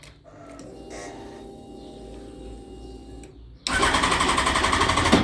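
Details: Yamaha FZ1 after a valve clearance job, brand-new battery: starter churns in a quick, even rhythm, about four beats a second, but engine never fires; cause unknown.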